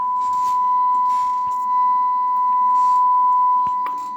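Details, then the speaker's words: Radio Shack TRC-495 CB base radio after repair and rough alignment, on a signal generator: clean steady ~1 kHz tone over faint hiss, still barely audible at −120; receiver sensitivity is very good, normal receive. "such a really good receiving radio I'm uh I'm shocked"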